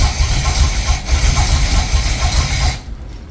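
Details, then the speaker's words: First start of freshly refreshed 1976 Corvette 350ci L48 small block with electric fuel pump: deep lumpy rumble with uneven lope that sags and dies; ignition timing off, later adjusted. "timing's off I don't know which way to go with it like that maybe try like that we're going to have to do the timing"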